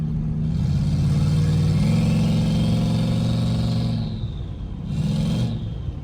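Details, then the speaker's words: Turbo LS V8 GMC Sierra, nearly at temperature, first test drive with a new big turbo: engine drone climbs with throttle as a high whistle rises and fades off-boost; healthy spool, boost level still to be checked. "Yeah, that turbo sounds so good. Shoo! guys see what kind of boost that was too."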